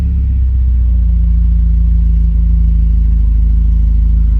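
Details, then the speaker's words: 1988 Porsche 944 race car, sat for months and stored under a cover, restarted after being shut off: engine catches right away and settles into a steady, deep rumble without stumbling; starts pretty good, normal start. "Starts pretty good."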